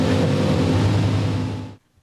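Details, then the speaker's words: Old school small block Chevy V8 with 8-stack mechanical fuel injection for a Fiat drag car: crisp even bark revving freely and dropping cleanly, all cylinders hot, but idle still high, needs idling down. "okay so all the cylinders are hot that's good and you heard how fast I went w just rubbed right up so obviously that's a lot closer and so I need to get it idle down some"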